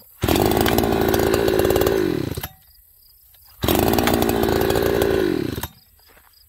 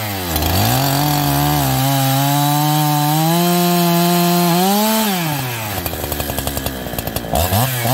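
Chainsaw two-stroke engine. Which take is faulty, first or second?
second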